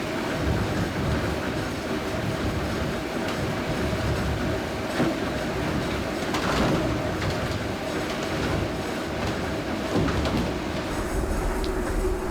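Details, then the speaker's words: Working 1797 grist mill grinding corn: dense even rattle and rumble of corn trickling into the stones, no knocks or surges, little vibration; mill grinding steadily and healthy. "So it's The not as sound- noisy as you thought it would be. No, but the sound is beautiful. Yeah. It's like, And you can see there's not much vibration."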